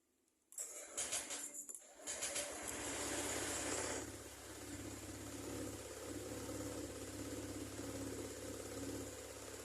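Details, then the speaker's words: Honda Vario 125 scooter with a carbon-fouled throttle body: the engine stumbles and lags on throttle blips, with rpm out of sync with the throttle and a flat spot, then settles to a rough idle. "bisa didengar ya antara bukan gas dan RPM motor tidak sinkron atau telat membuka dan terjadi kekosongan juga ya"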